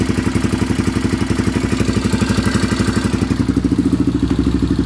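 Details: Honda 400EX idling: fast, even ticking about four a second over the single's thump, light top-end tapping; owner suspects the valves badly need adjusting.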